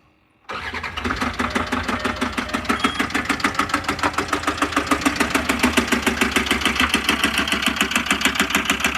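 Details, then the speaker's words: Land Rover Discovery 2 TD5 diesel just after jump-start: sharp, even clack about three times a second, growing louder as it runs; owner suspects bottom end failure, engine to be replaced. "Things getting noisier. Oh, that's nasty. Wow. I think it's actually, the clack is getting louder and louder as it runs."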